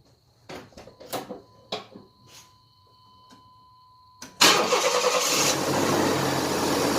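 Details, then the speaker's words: 1993 Chevrolet S10 4.3L automatic after clutch fan replacement, at startup: a few clicks, then the engine catches into a loud, steady roar of the fan pulling air, like an 18-wheeler; healthy engaged clutch fan. "now it should sound like a big old 18 wheeler when it fires up that means that the clutch fan is working like supposed"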